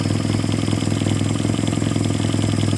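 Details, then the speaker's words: 1946 Jeep, old engine just revived, oil pressure up, not yet warm, burning off sprayed-on residue: steady even low rumble, no knocks, misses or stumbles; settles into a smooth healthy idle on its own. "No temp yet, but she is idling on her own. Burning all the yuck off of it that I sprayed on it."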